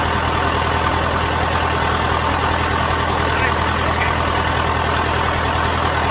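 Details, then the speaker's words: John Deere 450 diesel just after first start following in-frame rebuild; loud, even idle with a steady low thrum of about four pulses a second and no knocks or misses; sounds better than ever, healthy. "good sounds better than it ever sounded"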